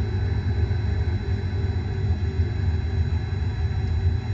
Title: Bad Bearing